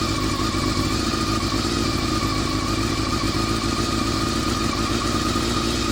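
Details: Honda CBR400RR after riding at Ebisu Circuit: dense, even mechanical rattle over a steady-running engine, no distinct knock; abnormal top-end noise, owner suspects the cam gear train, unconfirmed.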